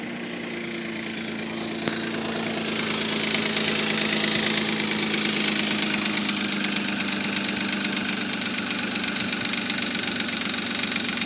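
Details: 3.5 Nissan Maxima at idle after Motor Medic flush and new synthetic oil: fast light top-end lifter ticking, worst at cold start and quieter after 20–30 minutes of running; flush did not fix it, noise still loud.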